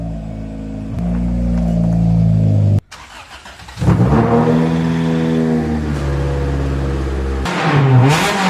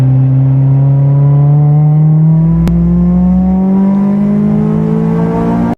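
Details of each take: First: 1993 Honda del Sol with unbaffled muffler, before fitting new muffler: loud raspy blare rising and falling with revs, harsh crackle on top. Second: 1993 Honda Del Sol after fitting a $30 Amazon muffler, road test under hard acceleration toward 8,000 rpm and VTEC; smooth tone climbing steadily through the gear, no drone or rasp, healthy and fairly quiet.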